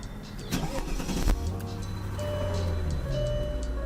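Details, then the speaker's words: 2003 Mercedes CL55 AMG supercharged engine, bought cheap with many problems: quick crank catches cleanly into smooth steady low idle, no clicks, ticking or knocking; engine sounds good though an ABC suspension warning appears. "the agent sounds really good I don't hear any clicks I don't hear any noises coming out of the engine"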